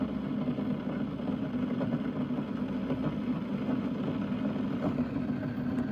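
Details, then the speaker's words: Keurig K-Mini single-serve coffee maker heating, microphone right beside its side: steady low rumbling hiss with faint irregular pops as water boils inside; sounds normal. "You're looking at the side of it and you're listening to it boil."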